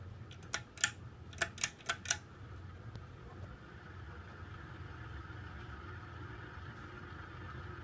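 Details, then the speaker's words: 1988 Sears (Encon) 42-inch Spinner ceiling fan: a few sharp clicks, then a steady hum with a faint high, rough edge on medium speed. Worn bearings, though the spin-down is decent. "surprisingly the spin Down's decent for a fan with the bearings that sound like crap"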